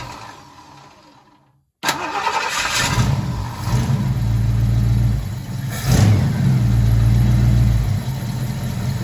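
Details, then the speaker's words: 1968 Ford Fairlane/Torino fastback 289 V8 after replacing the exhaust donut gasket: cranks, catches, blips twice and settles into a deep, even, quiet idle, the exhaust leak fixed with no ticking or puffing. "yes perfect exactly what i'm looking for nice and quiet again though all right guys well that did it that took care of the problem like i was hoping it would so now it sounds good again"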